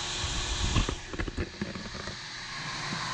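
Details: New UtiliTech 1/2 hp cast iron convertible deep well jet pump, model 0036860, just installed and primed: switch click and a few clunks at start-up, then steady rushing hiss as water fills the diaphragm tank; normal running.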